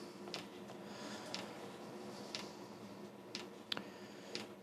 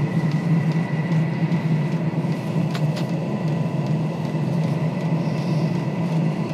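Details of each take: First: Diesel heater on bench, fuel pump pumping, glow plug drawing eight amps, white smoke from exhaust: faint steady tick about once a second from fuel pump over low fan hum, no burner roar; heater not lighting yet. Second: Diesel heater on the bench that wouldn't light (white smoke), run on a test fuel pump and controller at maximum, pump at 4 Hz: smooth, even low hum with steady fan rush, no sputtering or surging; running normally.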